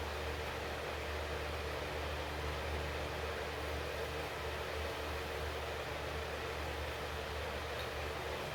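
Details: 1948 Ford F6 COE rat rod, 190 HP 5.9 Cummins 6BT, P7100 pump, first start: steady even idle with low rumble and constant hiss from air compressor on top, no knocks or misses—healthy fresh start.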